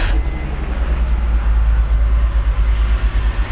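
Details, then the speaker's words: E46 BMW 3-Series with coil-on-plug ignition, sporadic misfire on startup: lumpy cold-start idle with the exhaust beat dropping out unevenly. Power balance test shows cylinder 4 not contributing; misfire. "I hear a misfire. Okay, let's repeat the power balance test."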